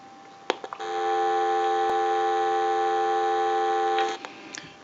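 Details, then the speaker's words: General Electric 27909 cordless telephone, ring cycle from the analyzer: clean, steady warbling ring for about three seconds with no dropouts; ringer working properly. "I want to go ahead and start a ring cycle with the analyzer so we'll start that we're going to let that go a few times"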